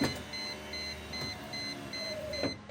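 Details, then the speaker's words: 1998 Mercedes-Benz SLK 230 (R170) driver's window regulator just replaced: window motor runs with steady even whir, strong pull, no squeak or binding; rivets tight; healthy. "everything looks tight rivets aren't wiggling at all motors sounds good nice and strong no squeaking"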